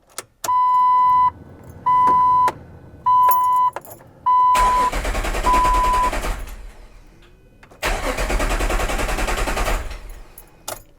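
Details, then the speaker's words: 2005 Jeep TJ with the fuel pump relay pulled before fuel tank removal: four warning chimes, then two long spells of steady cranking that never catch. It cranks but won't start because there is no fuel supply. "Normally when you turn the ignition on, you hear your fuel pump come on. So hopefully we don't hear that this time."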